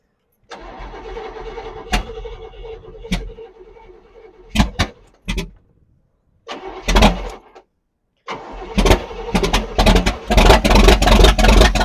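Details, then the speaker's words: 1978 Cadillac Eldorado that sat all winter, cranking: it catches and runs ragged and lumpy, stalling between tries. Owner unsure whether cylinders are misfiring or timing is too advanced. "Oh, that sounds real good. I can't tell if not all of my cylinder heads are firing or if my timing's too advanced, whatever."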